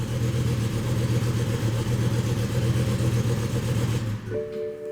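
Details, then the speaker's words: 2007 BMW M6 V10 running rough, with many parts including the computer already replaced elsewhere. Misfire codes for cylinders 1–5 and 10 set right after start. Loud idle with an uneven, lumpy pulse about four beats a second: essentially one bank misfiring. "we're missing basically a bank so where do we start right"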